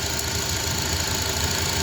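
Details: 2004 Honda Accord four-cylinder, previously misfiring and vibrating from broken ignition coil connector grips causing loose connections, idling after the grips were replaced; steady, even idle with smooth low hum and no stumble or skip; running cleanly on all cylinders.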